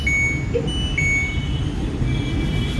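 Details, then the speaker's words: LG top-load washing machine with direct-drive magnetic motor, board brought in for repair: two short high beeps about a second apart over room hum, flagging LE motor-lock error after door lock and countdown. "ఇక్కడ motor చూపినా, ఇది మనకి DD motor, ఇది magnetic motor. ఎల్ఈ చూపాను, ఎల్ఈ అని complaint పడింది, error."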